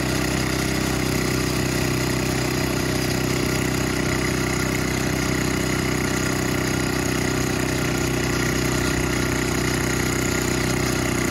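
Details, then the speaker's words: Older Craftsman snowblower that sat for years in a shed and was leaking fuel, hand-started after it had been flooding when leaned back: steady, even low idle with no hunting or stumbling, running normally. "all right real quick one more time let's uh let's start it up by hand all right there you go yeah so she was just floting when I leaned it back"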